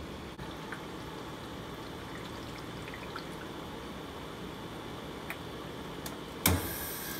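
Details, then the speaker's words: Dometic portable ice maker after clearing a hair blocking the water pump, which had made ever-smaller cubes until none formed: quiet trickle and drips, then a clatter as the first batch of ice drops; normal harvest. "let's hear that first batch of ice and we'll be back on our way and won't have to worry about this problem for a while"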